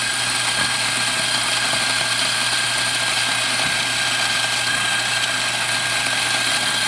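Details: Macap M4 espresso grinder after repair (it wasn't grinding because it was clogged with dirt; cleaned inside and out, broken worm knobs replaced): even, steady motor hum with a clean high whine and no catches or strain; running normally.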